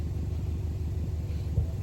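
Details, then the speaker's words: Subaru Impreza (WRX-to-STi full rebuild), first start in three years: a low, even rumble with steady firing and no knocks or ticks. The rebuilt engine idles smoothly. "the important thing is I've managed to turn the key and get it started"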